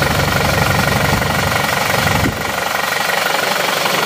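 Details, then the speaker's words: Isuzu D-Max diesel after repair of several problems, cold morning start: even, regular clatter at about three pulses a second with no misses or shake; smooth, normal idle. "hasilnya seperti ini sudah normal ini seperti biasa mesin yang normal tidak goyang-goyang hidupnya rata"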